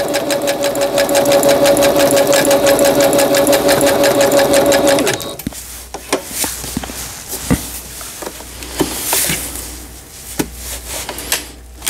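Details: Singer Stylist 7258 sewing machine after repair of an E4 stop-mid-sewing error, a misaligned lower-shaft gear, a sensor fault and a slipped timing belt; pattern stitching gives about five seconds of quick, even clatter near three strokes a second, then a clean stop. Normal.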